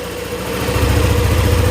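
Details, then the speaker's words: Yamaha NMAX scooter after repair of a ticking ("tek tek") top-end noise: a low, steady idle thump with an even rhythm and no tick. It now sounds like new. "kalau untuk suara mah mantap Sudah kelar semua bang"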